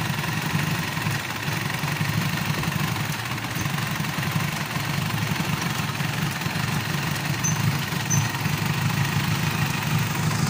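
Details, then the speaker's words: Mitsubishi Pajero diesel that starts then dies after about a minute: steady low rumble with slightly uneven beat, no misfire knocks; keeps running only on priming, weak fuel return shows low injection pressure from injection pump, calibration needed. "yung return niya ay mahina din yung tulo so nagba-back click siya mahina yung return niya"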